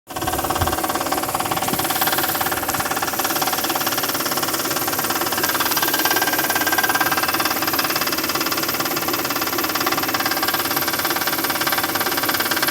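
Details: Toyota 1MZ V6 at idle after long idling: steady idle with a regular light knock about three or four beats a second; knocking appears on prolonged idling, cause not determined.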